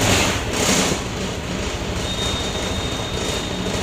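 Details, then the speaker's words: Honda PCX 150 scooter that only clicked and would not start, after stator replacement: starter catches within a second, engine settles into a steady, even idle with no misfire or stumble; starting normally. "may start na okay ayos"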